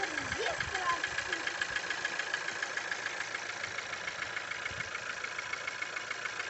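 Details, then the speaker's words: Skoda Octavia A7 1.4 turbo at idle; light, even ticking about three and a half per second over a smooth idle, source not pinned down; engine ticking at idle. "откуда-то тарахтит, откуда, не понимаю."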